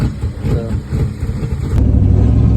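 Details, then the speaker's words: 1995 Mustang V8 after PCV valve replacement and vacuum leak fix, cruising in third gear at 3000 rpm: deep, steady drone with no breaking up or cutting out, which it used to do there. "Right now, as you can see, we're just cruising along. That's third gear. 3000. Usually, it's been breaking up."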